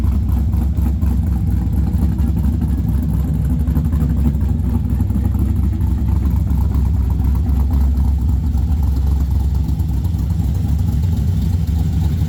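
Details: 1963 Chevrolet Nova SS convertible, very first true startup: deep, steady idle with even lope, no misses, knocks or ticks; good fuel and oil pressure, no leaks or sparks; still running slightly rich ("gassy"), otherwise normal idle.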